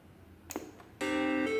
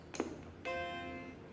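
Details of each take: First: 1989 Macintosh IIcx with intermittent power-on fault, powered up during repair after reassembly with floppy drive carrier refitted: instead of the usual single chime a run of clear ringing musical notes plays; unexpected abnormal startup sound, cause unknown. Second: 1989 Macintosh IIcx with an intermittent power-on fault, during repair: a single clear, sustained startup chime that rings evenly and fades, the normal power-on sound.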